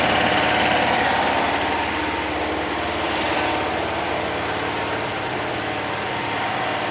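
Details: 1966 VW Fastback flat-four, freshly installed engine, first start on 6-volt with jumper wire to coil after firing order corrected: fast, even rattling beat about four pulses a second, no misses or stumbles; running smoothly and healthy.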